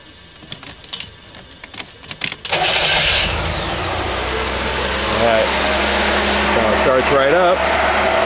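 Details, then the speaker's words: UltraVan #299 with an extensively rebuilt engine during initial break-in: cam broken in, lifters pumped up, fresh oil with GM supplement. Keys rattle, then it settles into a fast idle that rises and falls slightly. The idle is set high; cause of the surge is uncertain. "now the idols still set kind of high on the thing so they're going to notice that it's running a little fast and little bit of a surge in it i'm not sure exactly what that is my because the idle sit so high"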